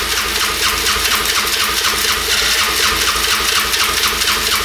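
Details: 1997 Polaris Magnum 425 6x6 ATV after carb cleaning: barely running ragged idle, sharp pops about twice a second backfiring through the carb; owner suspects worn cam lobe.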